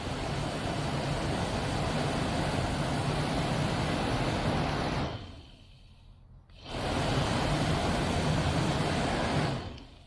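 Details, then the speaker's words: 1969 MGB heater blower motor, removed and lubricated with oil, runs with a steady even whir, much quieter than before, briefly cut then restarted; normal blower running. "It's a lot quieter than it was."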